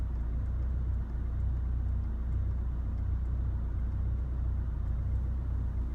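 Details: 2016 Chevrolet Colorado 2.8L diesel after a highway drive home: deep idle with an uneven, lumpy beat about once a second instead of a smooth hum; rough idle, cause unknown.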